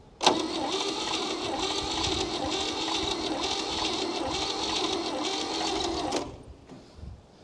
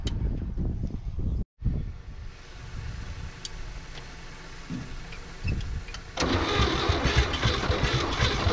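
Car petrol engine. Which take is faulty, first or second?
second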